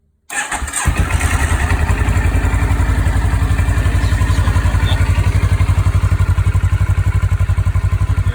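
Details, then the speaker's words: 2013 CFMoto 650NK twin on its stock muffler, before fitting a Musarri slip-on: fires straight up and settles into an even, steady low thump at idle, no misses or ticking; healthy. "I'm going to take off the stock huge muffler that they have on there. Just going to start it up and let you hear what it's like before I swap it over."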